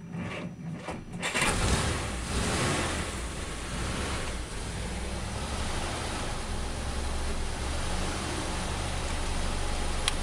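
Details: 1947 Dodge old petrol engine after engine-out to investigate a slight knock: catches and settles into steady low idle with no clear knock; knock appears cured.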